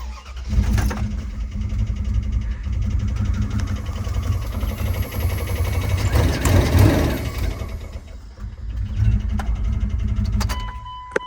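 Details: Dodge Durango at 313,000 miles: engine catches and runs with an uneven, lumpy low rumble and irregular pulsing through the revs; a badly failing engine.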